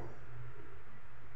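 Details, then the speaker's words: Wall fan with power and motor continuity: low steady electrical hum, blades won't start; suspected bad capacitor or stuck bushing/shaft, motor to be opened and checked. "Ayaw umandar pero may reading naman siya may reading iug natin wala Ugong lang siya"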